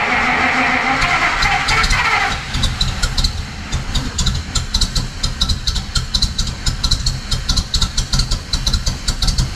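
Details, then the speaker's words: 1950 Pontiac Chieftain, 249 cu in L-head Silver Streak straight-8, after long storage, valves cleaned and fuel shut off, started with starter fluid; catches and settles into a steady, even idle with light ticking, no misses: normal idle. "that sounds great we've cleaned off the valves and the engine runs well now"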